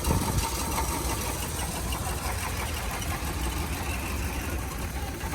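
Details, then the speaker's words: 2000s Hyundai Accent idling with misfire, probably cylinder three: uneven, lumpy idle that sags almost to stalling when a coil plug is pulled, then idles back up; coils about to be swapped to confirm coil, not plug or wiring. "see it almost set off and it idles back up so we got a misfire and this guy right here"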